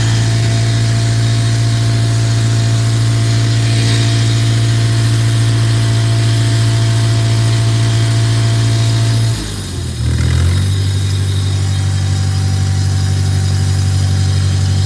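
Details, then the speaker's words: Tractor idles with a low, steady drone that suddenly sags and stumbles, nearly stalling, then recovers; fresh gas just added, carb bowl fuel looked fine, water in fuel or air filter suspected; rough running and stalling from a clogged carburettor jet. "Dang. Huh. I wonder what the problem is here. Sounds like water in the fuel."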